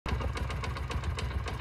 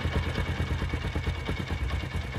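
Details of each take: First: Honda CD70 motorcycle engine on a cold morning start: quick, steady dug-dug knock, about eight a second, over the idle, also heard after warm-up; worn cam chain tensioner roller hitting its bolt. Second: Honda CD70 single-cylinder motorcycle after repair: an even putter at about eight beats a second, with the earlier morning-start "dug dug" knock and rattling hiss now gone; smooth, healthy idle.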